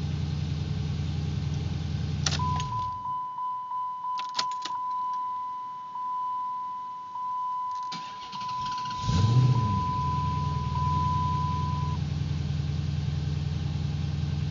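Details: Car with hard-start issue resolved by adding a ground: idling, door chime and clicks, brief crank, catches quickly and settles into an even idle; normal engine start.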